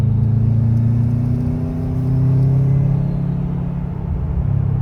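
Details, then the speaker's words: 2004 Subaru Impreza WRX with a newly installed TurboXS cat-back exhaust, accelerating hard on the road: deep, smooth rumble swelling, toneful but not obnoxious, no rasp or leak hiss; normal exhaust. "See, it's not crazy. I like it. It gives you a tone without being obnoxious."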